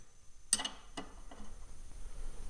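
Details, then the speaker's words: Newer golf course mower reel on bench: crisp separate clicks from ratchet detent bed-bar adjuster, each click moving the bed knife 9/10 thousandths closer to the reel; adjuster working normally. "Each click of this, I don't know if you can hear that or not, but there's a click there. That moves the bed bar, pivots on this point."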